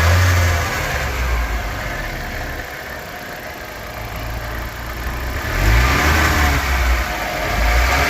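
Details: Nissan 200SX S13 with CA18DET engine at idle with throttle blips: idle hunts and wobbles unevenly, never settling into a steady beat; rough idle.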